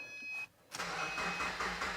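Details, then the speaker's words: 2009 Subaru Forester with oil leaks, jump-started with a portable jump pack: a brief crank, then the engine catches and settles into an even idle with a steady low throb; starts cleanly, normal start. "And just like that, we have life with the old JS 3000."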